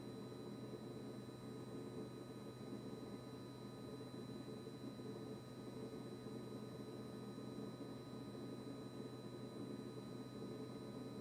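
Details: Kitchen-Aid KRFC704FSS00 fridge after service: a quiet, unbroken buzzing hum with a steady high whine on top, and the compressor never cycles off.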